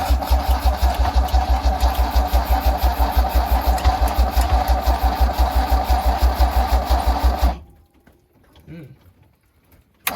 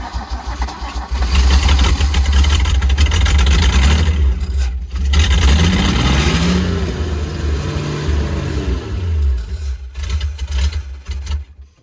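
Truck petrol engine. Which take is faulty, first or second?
first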